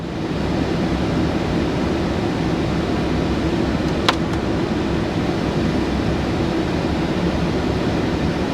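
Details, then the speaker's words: VW T5 Transporter heater blower on speed four after repair (previously fluctuated and blew the fuse): constant, even airy rush with no surging or rubbing; normal blower operation at full speed. "now it works on speed two that's on four flat"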